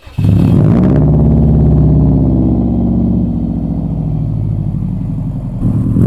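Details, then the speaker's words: 2002 Subaru WRX with a newly installed aftermarket exhaust, after fitting a Walbro 255 lph fuel pump and higher-flow injectors, untuned: deep, loud boxer burble with a natural gurgle at idle and on blips. Healthy but too loud for California. "i really do love the sound of this thing and it even has a little bit of a natural like gurgle to it"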